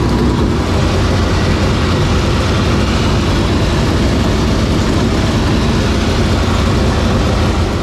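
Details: 465 cubic-inch V8 race engine, first start after three years and after getting improved fuel pressure: a loud, steady, deep roar at an even speed without stumbles or popping; normal running.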